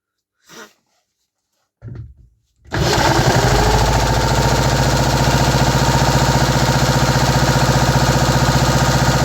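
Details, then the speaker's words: 3D-printed 125cc four-stroke engine after vacuum-leak fixes including 3D-printed valve stem seals: stutters, catches, then strong even beat about 220 pulses a minute, no misfires, winds down cleanly. Normal running. "There we go, now we are talking. The engine actually works properly now, no more misfires. Everything runs smooth."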